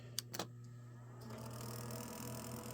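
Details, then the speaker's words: PlayStation 2 being restored, powered on after looking never opened: a few sharp clicks then steady low hum with rising rough whirring; owner says the laser is not sitting right, abnormal disc drive noise. "Yeah, that's what I was afraid of. I thought it was doing something like that. I could tell it was doing something like that before, too. That's definitely not sitting right, the the laser."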